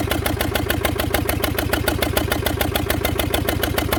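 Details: Fordson Major tractor, far west NSW wreck, previously seized, first run via temporary crank start and jury-rigged direct fuel line bypassing filters: heavy steady diesel clatter at fast even idle with hard knocking pulses; rough running, owner hopes stuck rings free up with heat.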